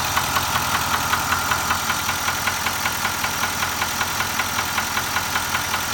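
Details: Nissan Titan XD at 13k miles: steady idle with a light regular tick-knock about two to three per second on top; engine knock at idle, cause unknown.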